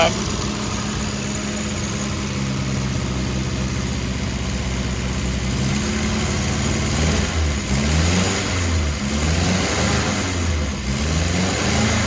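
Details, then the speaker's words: Freshly rebuilt 948cc A-Series engine with twin SU carbs, first run-in start on choke, still cold: steady even fast idle with firm low beat and a few clean throttle blips; timing and mixture still need adjustment. Normal fast idle. "Okay, let's give this thing a shot. And give a little give a little choke here. Let this get warmed"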